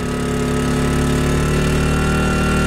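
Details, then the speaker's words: Portable generator, warming up but still being broken in, charging a Tesla Model X at 12 amps, 121 volts (about 1464 watts, within capacity): steady even drone, rpm rising, clean firing rhythm holding firm; normal running under load. "you could just hear it increasing rpms there and lastly swell so at 12 amps at 121 volts"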